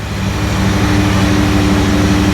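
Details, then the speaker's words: Datsun 280Z barn find off road 18 years, after new injectors, warming toward temperature; steady even six-cylinder idle with smooth low pulse and constant hum, no misses or knocks, slightly smoky but better than before; normal idle. "It's a little smoky. A little bit smoky, but it's better than it was."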